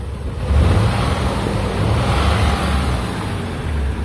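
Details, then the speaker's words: Nissan Z32 V6 revved with cylinder 6 coil pack unplugged: deep, fairly even roar with no clear knock, sounding normal; the knock returns when cylinder 6 is reconnected, isolating rod knock to cylinder 6 without dropping the oil pan. "But um what we did was uh we unplugged the coil pack for cylinder 6 and we revved it."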